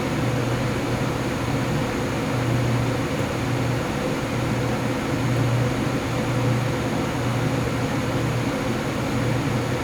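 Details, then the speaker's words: Loud steady howling drone from XPG Vento Gentle Typhoon case fans in a Lian-Li O11D Mini ramping up under Cinebench, fan curve capped at 1900rpm, mic placed at the case; howl drops when rpm falls, air whistling through panel vents. "now as you can hear the fan noise went up if i am to stop the semi bench right now i hope you can actually hear the hounding lines went down so when the rpm went down right it's not so noisy it's only when it actually ramped up there is a very loud howling noise"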